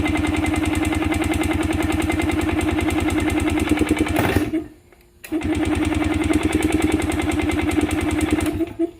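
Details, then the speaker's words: Yamaha 125 enduro two-stroke after fresh spark plug and fresh gas (earlier suspected oil-fouled plug): crisp popping at fast steady idle on choke, one brief dip and recovery; engine caught and runs normally. "It's alive. Amazing what a little fresh gas and fresh spark plug can do. Ain't nothing sounds like a two-stroke neither."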